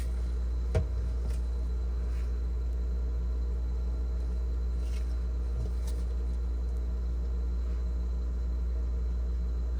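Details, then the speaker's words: GE French door refrigerator fresh food evaporator fan, stiff from clogged drain, slowly trying to turn; low steady electrical hum with no blade whoosh; seized evaporator fan motor. "now pay attention you can see the fans slowly trying to turn"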